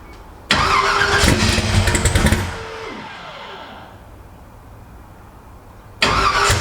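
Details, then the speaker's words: Twin turbo Ford Cortina, first start after multi-point fuel injection install, fuel pressure suspected too high: starter churns two seconds with rough firing attempts that never catch, cranks again; engine flooded, won't start. "it's definitely flooded on it yeah definitely"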